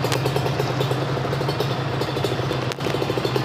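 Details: Kawasaki Ninja SS two-stroke with daily-use tuning (korek harian), warming up at fast idle for 15–30 minutes before revving; steady, even burble with no knocks or rattles, running cleanly.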